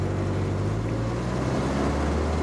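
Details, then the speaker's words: 1964 Volvo 1800S with original twin SU carbs, first road drive: steady, even engine drone pulling with no stumble or flat spot, returns to idle and free revs cleanly; normal acceleration, slow but no hesitation. "Right now it seems to be accelerating okay. It goes right back down to idle. It free revs perfectly."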